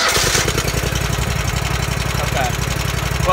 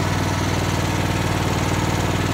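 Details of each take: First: Riding lawn mower hotwired without a key by touching power to the starter, with a suspected faulty or disabled seat safety switch: single-cylinder engine catches and settles into a steady, slightly uneven chug at idle. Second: Riding lawn mower being hotwired with a jumper wire: the small single runs briefly on a steady, even putter, then cuts out abruptly. It sounds like it is not getting fuel, a fuel starvation issue.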